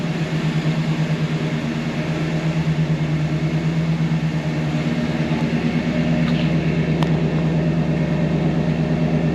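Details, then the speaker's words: 1978 Dodge D150 pickup running: steady, even low rumble with a smooth regular beat, no knocks or misses and no smoke; engine sounds good. "Sounds good. No smoke blowing out or anything."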